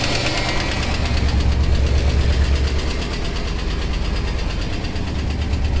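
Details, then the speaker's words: 1966 Ford Thunderbird 390 V8, revived after sitting for years, fresh 20W-50 oil, oil pressure better but still low at idle: a light, regular tick about three per second over the idle that doesn't fade; suspected lifter tick, not confirmed. "Let's see if that lifter tick goes away. All right, let's see if that lifter is going to come around or not. Unfortunately, I don't think so."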